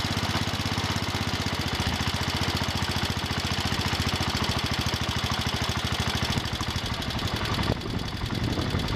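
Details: John Deere 110 garden tractor single-cylinder engine idling after rod knock repair (rod cap worked on); even beat, lifters ticking and belts flopping, no rod knock; normal idle.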